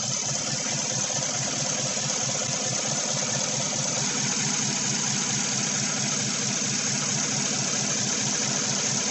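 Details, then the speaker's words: 2016 Chevy Silverado 1500 with 5.3 V8 and code P0300, steady idle with an uneven, stumbling beat: scan tool shows cylinder 7 still misfiring and none on cylinder 3, coil ruled out, 7 sparking but not firing; probably a fouled spark plug. "it says cylinder number seven still misfiring well that's because it's probably"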